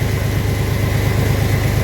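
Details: 1997 Chevy Astro van that sat three years, jump-started despite no ignition-switch signal reaching the starter, brake fluid leaking and smoking on the hot exhaust: low, even idle with steady pulse, no misfires or ticking; runs cleanly.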